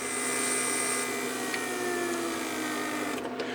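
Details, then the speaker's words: 1999 Mercedes S-class (S500) door lock PSE pump, repaired and bench-tested with the pressure circuit plugged: steady whine, pitch sagging as it labors hard against the blocked line, as with a pressure leak while driving. "But driving the car with the pressure leak, or let's say you want to plug the whole pressure circuit, look how hard it runs."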